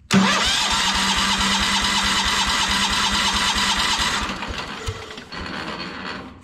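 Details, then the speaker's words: Kohler 14 HP single on a Minneapolis Moline 114 Hydro garden tractor, cover removed, started on choke: hard top-end knock about three per second for a few seconds then shut off; owner thinks the engine is simply worn. "so that confirms you can hear it kind of knocking up here in the top end so just wanted to make sure that it wasn't something hitting that cover because I have heard that cover make some bad noises before but I think this engines just were out"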